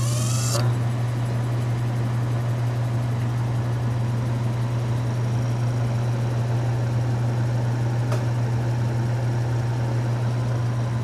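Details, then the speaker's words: Restored antique Frigidaire W-5 refrigerator, condensing unit with exposed flywheel, just started during charging: low, steady, even hum with no knocks or rattles; running smooth and quiet. "Nice and quiet."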